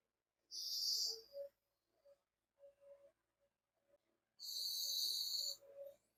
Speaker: எப்பவுமே சவுண்ட் தான் வருது சோ மக்களே இப்ப நீங்க பார்த்திருப்பீங்க சோ நம்ம அந்த டெப்ரோன் டேப் டெக்னிக் யூஸ் பண்ணி வந்துட்டு பார்த்தீங்கன்னாக்கா லீக் ஆயிட்டு தான் இருக்கு